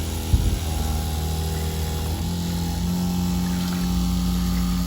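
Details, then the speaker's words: Seaflo 22 series 5 lpm 100 psi pump in Ford Transit Custom camper, 54-litre tank, open tap without shower head: steady low buzzing drone of constant pitch, no surging or rattle; pump note changes when spraying; running normally. "Listen to this, when I sprinkle it, the pump change."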